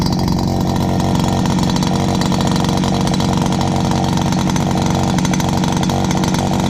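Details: Dad's old backpack blower, about 39.7 cc two-stroke, choke only and no primer, first start of 2019. A loud, steady high buzz holds an even pitch with no stumbling or surging. Loud but runs really good.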